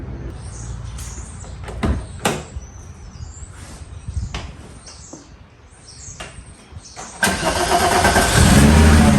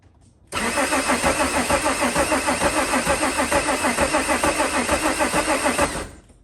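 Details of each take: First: Mk2 VW Jetta with VR6 engine swap: starter whirs briefly, then the engine catches and settles into a steady, even idle with no knocks or misses; normal start and idle. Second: Mk2 Jetta with VR6 swap, first start attempt: steady starter cranking at about three pulses a second for five seconds without a single catch; cranks but won't fire because the injectors are not delivering fuel.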